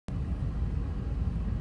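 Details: 2003 BMW E39 540i: a deep, uneven, lumpy idle that shakes the car; owner unsure of the cause and suspects a leak around the air connector or air pump; rough idle, cause unconfirmed.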